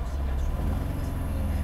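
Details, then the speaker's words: Mercedes-Benz W126 300SEL after overhaul, warm idle around 700–800 rpm (gauge reads near 600) with the AC on, then shifted into drive. Low, steady idle with no knocks or hunting, rpm only dips slightly, so the transmission seems okay. Normal warm idle. "The engine RPM and sound have changed slightly, but it is still in a very stable condition as I shift into drive."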